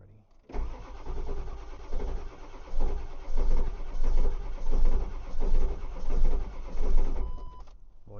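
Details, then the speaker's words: Ford 7.3 diesel truck in cold weather with an aftermarket block heater cranks slowly with heavy compression strokes but never fires. The fuel filter change didn't help, and the battery was charged after light corrosion was found. Owner suspects weak batteries; cause unconfirmed. "it's trying. I'm literally trying to find the obvious, which the thing is is the truck was doing this before I changed the fuel filter."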